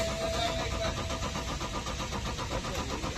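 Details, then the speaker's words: BMW X6 after CAS module repair and refitting (no-crank no-start fault, A0C1 CAS output terminal 50, burnt IC found), no codes remaining: even starter churning at about 2.5 beats per second, steady with no clicking or stalling; healthy cranking. "यह हमारा कास fitting हो गया repair हो के code भी कुछ नहीं है सेल्फ मार रहा हूं हमारा सेल्फ लग गया"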